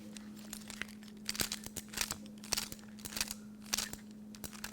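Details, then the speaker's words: Mercedes ignition steering lock, the customer's key turned back and forth near the microphone: gritty scraping and uneven ratchety clicks with a catching feel, far noisier than a good lock; worn ignition tumblers, overhaul recommended. "so if you're hearing a lot of noise like this and you're feeling a little catching in the key i would recommend you send this in for overhaul"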